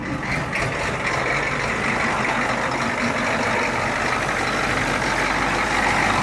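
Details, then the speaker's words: 1991 Ford F250 IDI diesel, warmed up, fresh air filter, running at a raised high idle; previously stalled at this point. Steady even diesel clatter, no stumbling or dips; holds speed cleanly, owner says it needs a drive. "high like a high idle set now oh yeah I think she need to get her legs stretched"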